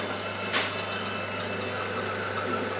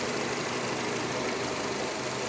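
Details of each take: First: New Nissan Terrano (Renault Duster platform), 47,000 km, at idle: thin high squeak with faint chirps every couple of seconds, first suspected near the flywheel or release bearing; cause is a torn PCV valve membrane. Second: Nissan Terrano / Renault Duster 2.0 engine, 47,000 km, idling an hour after repairing a valve whose rubber membrane was torn, which caused squeaking and chirping: steady, even idle with smooth hum and no squeak, chirp or ticking.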